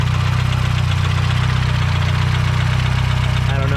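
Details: Built Mazdaspeed 6 engine after failure: heavy deep knock about three to four times a second locked to the idle; major rod knock, something let go, rebuild needed.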